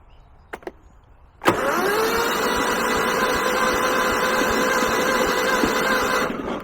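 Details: Kohler 15 hp engine on a Husqvarna lawn tractor, jump-started with starting fluid: starter whirs about five seconds with a labored chug of roughly two to three turns a second, never catches; cranking too slowly, no fire.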